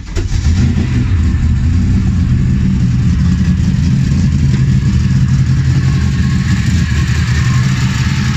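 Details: BMW M60B44 V8 hybrid (M60/M62) freshly built engine: first start after installing, building oil pressure and confirming compression; fires straight up and revs cleanly with a smooth, even rumble, no knocks or rattles, running fine.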